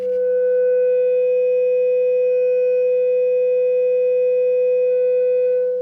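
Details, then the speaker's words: Repaired Fender Hot Rod Deluxe, warmed up, test tone into 8-ohm dummy load at about 18 V RMS, just touching clipping with slight crossover distortion (about 40.5 W RMS): steady pure mid-pitched tone with slight edge; healthy output. "just to the point of clipping and a little bit of crossover Distortion"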